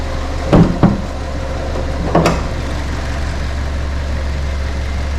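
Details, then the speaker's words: 2009 Ford Ka, a Copart category N salvage car with no service history, inspected on delivery with the AC off. A steady, smooth low idle hum has a couple of clunks from handling nearby. The engine sounds healthy. Normal idle. "i say it runs and idles really nicely let's have a look under the bonnet um"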